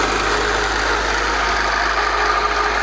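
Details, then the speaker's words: 1997 Acura Integra B18B1, automatic, blown head gasket with oil coming up: rough, loud idle with harsh clatter underneath, sounding like a diesel truck, from rod knock. "as you can hear there's something terribly wrong with this"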